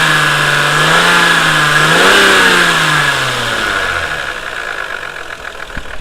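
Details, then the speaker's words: Lexus IS300 with no codes or performance issues: a steady high-pitched whine over the engine as revs fall back to idle, seemingly from the front of the engine. Owner suspected VVT-i or water pump, but the water pump was already ruled out. Not timing-belt related. "you can hear it as it idles down, you can hear that whine noise, so I don't know."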